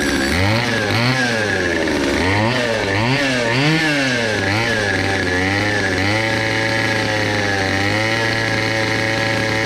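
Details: Cheapest chainsaw from Amazon, two-stroke, after amateur porting and a quick tune: revs up and down in repeated blips, then holds a steady high buzz, picking up crisply each time.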